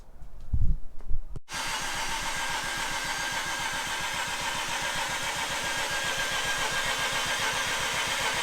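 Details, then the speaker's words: Mazda RX-8 with a half bridge-ported Renesis rotary on an older Adaptronic ECU, on the second start attempt after the install: the starter churns at a quick, even beat but never fires; the owner suspects the Adaptronic tune, not confirmed. "Alright, so we're on attempt number 2. Let's see if it fires up. Something doesn't seem right."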